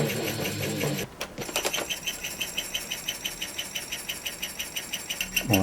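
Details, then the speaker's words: 1980s Korean Daytron RCS-7020 mini boombox cassette deck: a rapid, even clicking, about five or six a second, comes from the tape mechanism as it runs, new since before. Cause not yet found. "wasn't making that noise before it works pause let's try fast forward forward it's pretty fast rewind it seems like it's running just a tad bit too slow"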